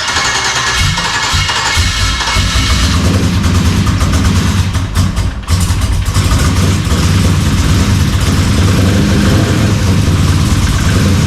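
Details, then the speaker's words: LS-swapped Dodge Dakota, first start after sitting a year, internal one-bar MAP just loaded: lumpy, lopsided idle running on only four cylinders, one bank; owner is sure it's an injector issue, intake sat on a shelf. "of so you're running on four cylinders yeah it's running on four cylinders which means the I'm sure it's an injector thing"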